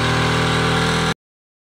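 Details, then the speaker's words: Boat electric propulsion motor after its mounting was redone with two rubber grommets: about a second of steady, even hum with no shudder or rattle. It earlier vibrated because the bolts bottomed out and could not compress the mount. Now vibration-free. "I changed out the mounting and I actually added two rubber grommets and now she doesn't vibrate at all"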